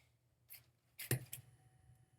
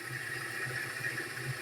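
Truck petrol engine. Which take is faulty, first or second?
second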